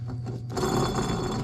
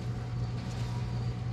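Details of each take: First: 2001-2005 Honda Civic rear wheel bearing/hub assembly spun by hand before replacement: rough, gritty grinding rasp instead of a smooth spin, heard as a roaring noise while driving; worn wheel bearing. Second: 2001-2005 Honda Civic rear wheel after hub bearing assembly replacement, car jacked up, wheel spun: steady smooth low hum with normal drag, no growl or roar; new bearing healthy.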